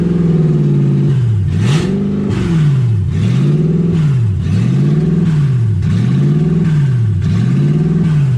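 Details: 1UZ V8 Ford Falcon, warm with radiator hot and gauge about 160, first drive: revs swing up and down in a steady cycle about every second, never settling. Owner unsure why; idle problem, cause not yet found.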